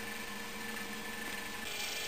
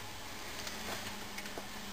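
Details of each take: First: Prewar GE Monitor Top refrigerator, CA model, compressor loaded by hot water in the evaporator: steady hum with a loose rattle growing more pronounced; non-condensable gas buildup suspected; cause unconfirmed. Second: Prewar GE CA Monitor Top refrigerator (methyl formate) after purging non-condensable gases: compressor now much quieter, steady low hum with faint light ticks and no rattle; normal compressor running.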